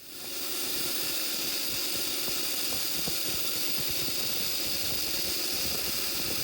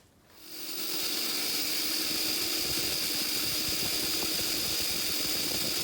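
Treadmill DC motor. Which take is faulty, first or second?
first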